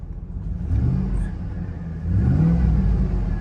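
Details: Salvage-auction vehicle that started without a jump, recorded on an iPhone 13 Pro Max only. Its deep, even V8 note climbs smoothly with each throttle blip and settles cleanly, with no knocks or misses. Sounds alright: normal revving.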